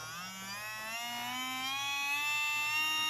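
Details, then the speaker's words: New sport-tuned brushed motor for a Tamiya Porsche 934 RC car, run at about 5.2 volts: clean high whine climbing smoothly as it spins up, no rattle or scraping; sounds faster and feels smoother than the old motor; healthy. "that's at 5.2 volts 5 oops so definitely sounds faster it feels a little bit better in the hand smoother"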